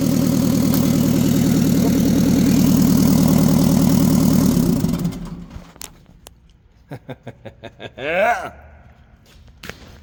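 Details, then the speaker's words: Mitsubishi FD25 forklift S4E diesel after injection pump timing correction, new glow plugs and injectors; even steady idle clatter for about five seconds before shutdown, no misses; previously started poorly, smoked badly, no power, now starts without ether. "this thing starts and it did not start good before and it smoked real bad and had no power"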